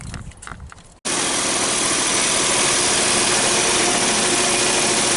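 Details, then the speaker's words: 2014 Nissan Versa after new spark plugs and number 2 and 3 coils for a P0303 misfire: after the start it settles into a steady, even idle without the earlier roughness; normal idle. "Right, so we're not getting the rough highlights we were getting before."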